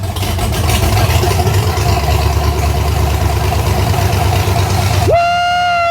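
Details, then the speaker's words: Nissan 240SX with LS swap (LM4 engine), first start after fuel pump swap and fuel lines tightened, 43 psi pressure reading and oil pressure present: loud steady V8 rumble, even exhaust beat, no knock or miss, brief whistle; starts and idles decently. "This has been such a long time coming and to see it start and idle decently."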